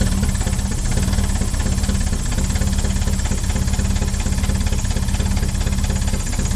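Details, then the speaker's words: 1970 Opel sitting about 41 years, gravity-fed fuel from a jug into the carburetors: fast, uneven idle with a busy mechanical patter. It keeps running but sounds fuel-starved and won't pick up or drive. "she's running but she ain't picking up yet at least she runs well she runs we know that"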